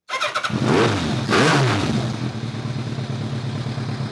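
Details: 2002 Kawasaki ZRX1200R with Keihin CVK carbs, after the vacuum problem on one carb was plugged off with the synchronizer: catches, blips twice, then settles to a steady, even idle with no stumbling; runs much better, with synchronization still slightly off.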